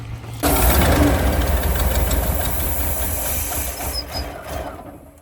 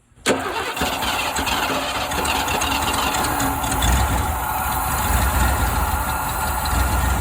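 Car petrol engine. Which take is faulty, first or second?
first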